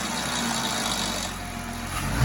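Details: 2015 Jeep Wrangler JK engine rattle, loud at startup, quietens, returns above 1500 rpm or driving; stethoscope finds it loudest near cam phasers on both banks; light metallic rattle over idle, cause unconfirmed.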